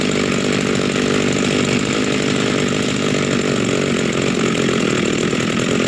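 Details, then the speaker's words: Rebuilt vintage Stihl 036 chainsaw with aftermarket Meteor piston and cylinder, new crank bearings and seals, new muffler and clutch, rebuilt OEM carb; warming up after first start, steady even two-stroke idle, no misses or bogging; healthy. "wow that's awesome she runs so yeah we'll just let her let her warm up for a minute call it good for now"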